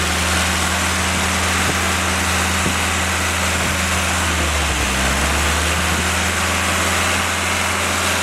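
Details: Willys F-134 F-head fresh rebuild on engine stand during break-in, oil pressure 40–45 psi, water 165°F; loud steady smooth drone with one brief speed change, no knocks; normal running.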